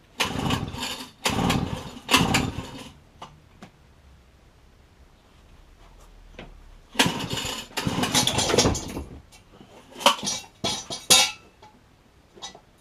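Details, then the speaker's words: Pit bike, recoil pull-start spring just re-coiled and refitted: repeated pull-cord yanks crank briefly but the engine never fires; cause unknown, owner plans to drain and replace petrol and oil. "So unfortunately it's not starting. I'm not actually too sure where to go next with this."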